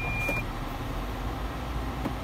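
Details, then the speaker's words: 2011 Toyota Land Cruiser Prado VX reversing: one short, high-pitched parking sensor beep over the low vehicle rumble; the sensors are working normally. "now you do have the touch screen they're sat-nav as well with your reverse camera setup and also your senses as you can hear the beeping pack there"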